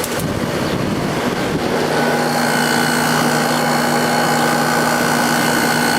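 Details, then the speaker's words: 1997 Sharp 8500 BTU air conditioner, missing its original air filter, just started on a hot day (about 85°F). Steady fan rush and an even compressor hum with a few fixed tones, no rattles. Running normally, air cold, no short cycling. "This is one of the 1997 8500 BTU Sharps. This is the one that's missing the original air filter. Let's start it up. Seems to be working great. Air's nice and cold."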